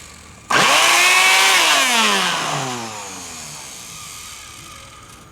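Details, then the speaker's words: Trash-picked Bissell PowerForce Helix 2191 vacuum motor test-powered through a loose alligator clip before soldering; whines up sharply, then winds down with crackling snaps. Motor spins; the sparks come from the clip bouncing on and off. "all the Sparks are from that alligator clip it moved slightly it kind of went down where the clamp is not it's really secure on there so it was bouncing off and on"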